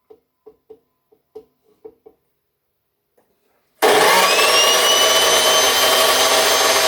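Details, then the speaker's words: Craftsman 207.25602 circular saw with a damaged cord, first run before greasing: harsh, rough whine with a thin high ring on top; owner suspects a malfunctioning bushing or bearing. "all right she's plugged in and she runs it sounds like there's a bushing or a bearing it sounds like there's a bushing that's malfunctioning on it"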